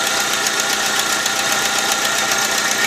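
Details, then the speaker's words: 2001 VW Gol 1.0 8V AT engine, 155,000 km, fully rebuilt three days earlier, cold idle: fast, sharp ticking that follows engine speed, heard from one area of the engine; cause unconfirmed, gaskets to be replaced by the mechanic. "alguma coisa tá batendo olha t t t t apesar de ser um motor já de 150.000 km rodado eu acho que esse barulho não é normal"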